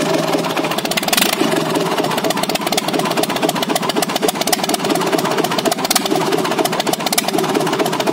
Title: JCB Kirloskar 4r1040 first start after rebuild.